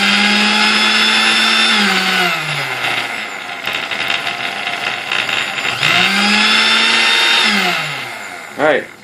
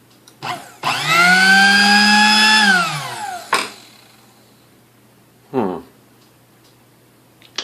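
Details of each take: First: Sunbeam Mixmaster Model 12 test-run during reassembly, with no thrust washers on the armature: a loud, high buzzing whine that falls and rises in pitch with a rough, rattly edge; noisy from the missing thrust washers. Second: Sunbeam Mixmaster Model 12 that would not run: with the connection made directly, bypassing the original speed switch (suspected), the motor hums smoothly up to full speed and winds down evenly, no grinding or stutter.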